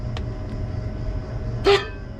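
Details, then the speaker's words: Worn condenser fan motor on a Crown reach-in bottle cooler condensing unit with a badly clogged condenser: steady low hum broken by a short loud squawk from a loose shaft when spun; motor to be replaced. "you hear that I heard it the first time I guess if it's spun right there you see it pretty much this thing is worn out so we want to do is replace this fan motor"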